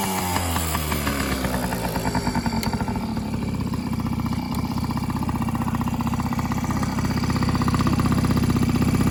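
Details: 1995 Yamaha PW50 two-stroke, fully rebuilt after long sitting (carb, cylinder top end): catches, settles from a brief rise into an even crackling idle, firing regularly without stumbles; runs properly.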